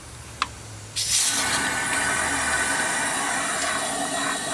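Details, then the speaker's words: 2003 Subaru Legacy wagon, EJ25 2.5 L, losing coolant and overheating with no external leak, cylinder pressurized via compression-tester adapter: sharp click then steady hiss out the intake; engine rotated about 180° because the intake valve was open. "hear coming out in the intake so I got a rotated 180 degrees basically only guessing at about 180"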